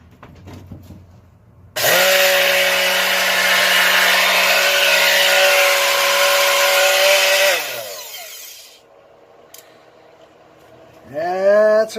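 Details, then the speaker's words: Used Porter-Cable Quicksand sander, powered on during bearing-replacement repair before fully reassembled: steady whirring hum with hissy rasp for about six seconds then quick spin-down; running doesn't sound right. "doesn't sound right but it's all back together yet either so whoops"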